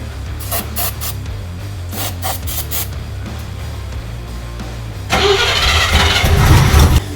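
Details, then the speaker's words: 1971 El Camino V8 with a new distributor fitted after months of spark trouble: about five seconds of slow, uneven cranking before it catches and roars; worn starter drags out the start, new mini starter planned. "we understand the starter's bad oh my God thank you this is the most progress I've heard"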